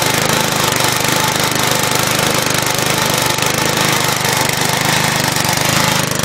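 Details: Scrapyard-found crank-start Briggs & Stratton push mower running on fresh gas with additive after cable adjustment: steady, rapid single-cylinder chatter with no misses or surging; runs fine.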